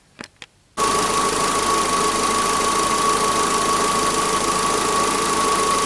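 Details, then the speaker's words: Mitsubishi Space Star 1.6 4G18 after replacing badly worn camshaft and rockers that caused top-end knock: steady even running under a thin whine, no valvetrain ticking; injector/gas fuelling still needs correction. "автомобиль работает наведен в принципе работает неплохо"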